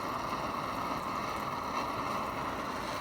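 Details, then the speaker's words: 60-some-year-old Canadian/American Army mountain stove (pre-propane, owned since 1972), running with water near tea temperature: steady, even rushing roar with no sputter or surging; normal clean burner roar. "look at that isn't that amazing that thing's what 60 some years old and it's still works like"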